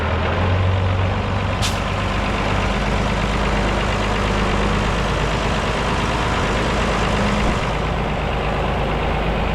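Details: Mercedes OM366A turbo diesel (170 hp) driving after its fuel pump was rebuilt with new plunger pairs; the worn, unbalanced pump used to clatter slightly, but now it runs evenly. Steady, even low drone without clatter; normal running.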